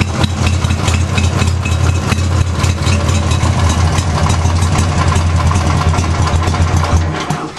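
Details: Craftsman with 14 hp Briggs opposed-twin: low, lumpy, loping idle as one cylinder runs poorly though spark confirmed; compression untested; dead-cylinder misfire, cause unknown.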